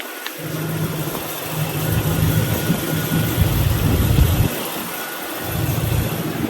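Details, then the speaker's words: 1993 Range Rover Classic 4.2L gas V8, first start after an oil change with 10W-40 high-mileage oil: a low, even burble that settles and drops slightly in speed. No ticking or lifter noise; a healthy idle. "Yeah. Sounds good. I don't hear any ticking. I don't hear any lifter problems. Idle's coming down nicely."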